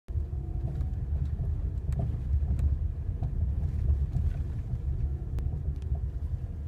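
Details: Ford Mondeo 4 suspension knock: sharp irregular knocks over bumps, also knocking on pulling away and braking; cause not yet found.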